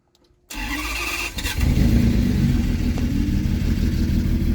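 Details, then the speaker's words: Salvage crash-damaged Ferrari 599 V12, first start after crash: cranks, catches and flares into lumpy uneven idle with no knock; rough running typical during first start or adaptation. "these Ferraris always run really bad the first time you start them up well really anytime they have to go through an adaptation"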